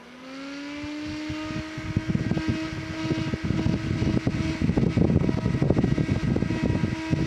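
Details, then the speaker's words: Sunon cooling fan from a Linksys EF2124 24-port switch, long in service, run on a separate supply: it spins up to a steady hum, then a rough, irregular clatter rides over it. A noisy fan, suspected to be worn. "now I got to scratch linis and uh a fan that's noisy that I just wanted to show you and all kinds of great like that"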